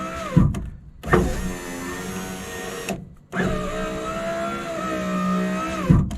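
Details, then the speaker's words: 2004 Ford F-150 driver's power window motor, restarted after tapping it: whirs in runs of a few seconds with a dragging, sagging tone between starts; weak motor with worn brushes, replacement considered. "all right so it started working for now I I don't know whether I want to disassemble the whole thing and replace the motor or leave it as is"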